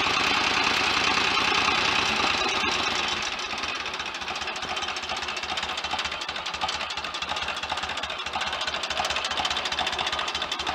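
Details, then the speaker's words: 1930 Royal Enfield 1000cc Model K after crank and main bearing rebuild, kickstarted, now fully functional with lights: even loping idle with crisp rhythmic clatter, no misses; a faster kickstart swipe would speed the engine up; normal idle. "what a beautiful old engine listen to that a better fast swipe with a kickstart would speed that engine up"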